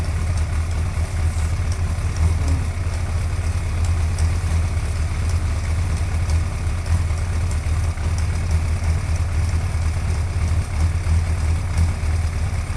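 Steady idle with a light, fast ticking riding over the low engine note; cause of the tick isn't clear from sound alone.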